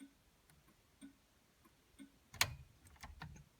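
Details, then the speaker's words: 1960 Mercedes-Benz 180db that sat in a garage for 30 years, other-side indicator tested in a quiet cabin: soft, even flasher clicks roughly every half second, then fumbling; the indicator works but the stalk jumps back and the dash indicator bulb is dead. "Indicator works, but the light for the indicator, which should come on over here, a little red light, does not. There's the indicator. Let's try the other side. It's working, but this indicator stalk"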